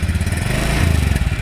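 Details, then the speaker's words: Motorcycle with dry battery that would not electric start despite over 12.5 V, after refilling electrolyte: starter now works and engine runs with a steady, even low putter and quick regular pulses; normal electric start. "Dan apakah mampu untuk starting motor starternya kita coba nah dia hidup ya"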